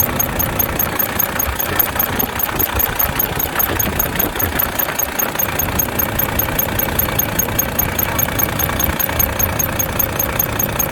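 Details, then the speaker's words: Volvo FH13 truck diesel idling two days after rocker replacement: sharp high chirp about two and a half times a second from under the valve cover, toward the front; rocker arm squeak. "из под клапанной крышки как скрипит сейчас я это все вам покажу"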